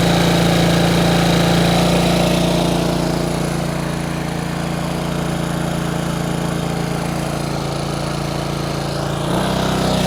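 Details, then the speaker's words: Bombardier Traxter 500 ATV single-cylinder with rebuilt carburetor, warm restart: fast steady idle that won't settle, then drops sharply near the end, because the previous owner had turned the throttle cable adjuster out too far; being readjusted. "okay I figured out what was going on the previous owner had adjusted this knob out so far that it was idling up too high the cable adjustment so now I need to bring it back up a little"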